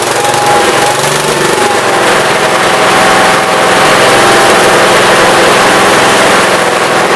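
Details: 1969 Gravely 432 after the carb main jet, out too far, was leaned and the carb cleaned. Strong, even engine beat at steady speed with no popping or banging, running well.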